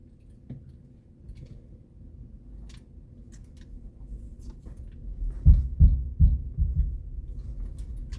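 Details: Tesla Model Y Performance moving forward at very low speed from a start: quiet cabin rumble, then four or five deep thumps about three a second from the rear; absent while driving, cornering or reversing, and not every time; mic beside driver.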